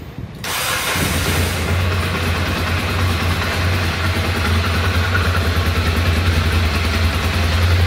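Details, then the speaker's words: Ducati Monster 696, freshly fitted Yuasa battery installed without charging: a quick crank, then it fires first time and settles into a steady, even idle. A clean, healthy start after an earlier 0005 rSw starting fault. "pegou de primeira não dei carga na bateria"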